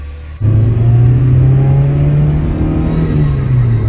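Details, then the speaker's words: Lowered right-hand-drive Honda EF with modified, cut spindles on a test drive carrying three people: steady engine pull and smooth road rumble, no clunk over bumps; front suspension now quiet. "All right, how does it feel? Feels good. I don't hear the clunk. I think we did it."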